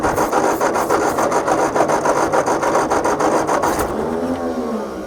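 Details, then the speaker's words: Tractor with rebuilt engine, after starting fluid and fuel flooding out, glass fuel bowl possibly not filling: steady starter churning about three and a half beats a second with no firing; cranks but won't start, suspected fuel or carburetor problem. "it it might be a fuel problem carburetor might need some work"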